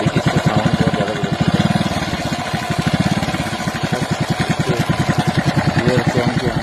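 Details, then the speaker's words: XL100 self-start moped: fast regular idle thumping about three beats a second with a dry metallic rattle from the top end; timing chain noise, linked to not changing the oil on time. "इसकी sound इतना बिगड़ा हुआ है timing बहुत ज्यादा sound"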